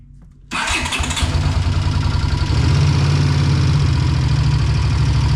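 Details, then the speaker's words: 1982 Honda GL500 Silver Wing, about 43 years old, before repair: it starts and settles into an uneven idle with a loose, busy ticking over the exhaust. A timing chain and valve adjustment is planned. "It makes a lot of noise. So, we're going to do the timing chain adjustment. We'll do a valve adjustment."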